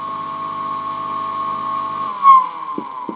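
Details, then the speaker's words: ZCPW400 submersible drainage pump: with the float lifted the motor hums but won't turn, then whirs steadily with a high whine once the impeller is pushed by finger, then coasts down. Failed start capacitor, replaced afterward. "Все включил в сеть Пока ничего не происходит приподнимаем лягушку от этого ключа вертикально и сейчас он забудет остановился загудел и смотрите что Толкай толкаем пальцем и все заработало"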